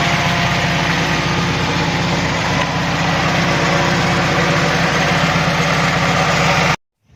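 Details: Carbureted engine at a slightly uneven idle with a thin airy hiss from a vacuum leak at the carburetor secondary diaphragm. A missing choke opener linkage also causes hesitation on acceleration.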